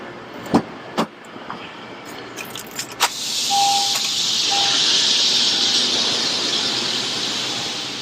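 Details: 2014 Honda CR-V right rear power window after replacing the motor and regulator: a few clicks, then a smooth, even whir with a soft hiss as the glass travels, no grinding or binding; window motor working properly.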